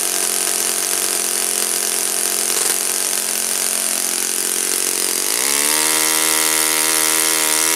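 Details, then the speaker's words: Saito FA-56 four-stroke glow engine, first run after teardown, cleaning and bearing replacement; 12x6 prop, OS F plug, 5% Omega fuel, mixture richened slightly from peak for flight. Crisp even bark holding steady, speed stepping up cleanly near end; normal running. "But again, I said yet another Saito engine. Just another perfectly running Saito engine. I mean, I've yet to see a stinker."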